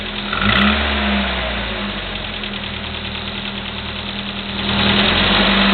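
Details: Chevy S-10 2.2L with 154K miles, Flowmaster 40 exhaust, at idle: steady light valve train clicking, two or three ticks a second, present for the last 45K miles.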